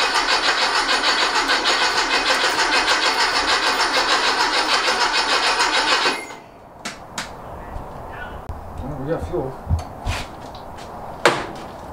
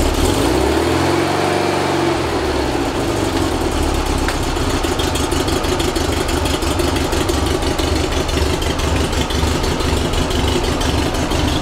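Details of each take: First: Rebuilt 1835cc air-cooled engine for a bus, first start after rebuild, good oil pressure and fuel confirmed: six seconds of steady cranking about three turns a second, never catches; no spark, electronic ignition module in question. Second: Rebuilt 1835cc air-cooled VW flat-four bus engine with vintage speed muffler, first start after rebuild, not yet tuned: catches after a brief crank and settles to a steady, even idle with regular beat, no knocks; ran with no real problems.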